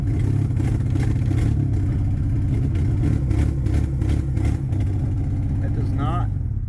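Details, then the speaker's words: Honda Prelude after sitting four years, exhaust manifold bolt stripped, still loud: flat idle not climbing on throttle; a sensor was unplugged, vacuum lines suspected disconnected. "I did get it to start and like work with the pedal I had a sensor unplugged but it wasn't running well"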